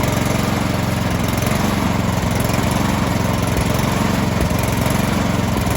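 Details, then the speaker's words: Troy-Bilt 2410 snow blower, a year old, single-cylinder, after quick carburetor cleaning of gunk from the center rod: at full throttle a steady even drone with no surging or missing, where it previously ran rough. Normal running. "all right once i put that gas all the way up it was running pretty smooth um so i think we're i think we're good to go"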